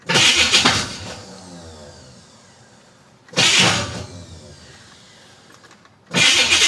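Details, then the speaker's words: 1966 Chevy Impala with a BBC 427 that ran poorly last drive, first start attempt since, with valve cover off: three short, harsh cranking bursts a few seconds apart, each dying off without a catch; the starter is struggling. "All right, here we go. Starter's having problems. Oh boy."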